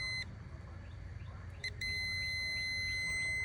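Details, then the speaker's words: Ford Ranger with misfire, fuel injector resistance check: multimeter's high steady continuity beep across a good injector coil, showing it intact; another injector read nothing and was bad. "hear it beeping got some resistance"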